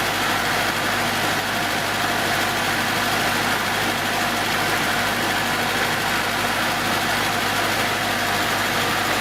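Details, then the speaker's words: 1970s Datsun engine idling on its 6.5-year-old 12V battery after rejuvenation from deep discharge (12.76 V); even steady hiss-heavy hum, no misses, knocks or surging. "And so it's like we have a brand new battery, 6.5 years old, and completely rejuvenated."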